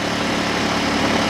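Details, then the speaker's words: New Champion 2000 W inverter generator out of economy mode (regular running mode) under a light load of about 108–148 W: a smooth, steady, higher-speed drone with no stumbles or rattles. Normal running. "That's the regular running mode there. And it don't make a difference either way."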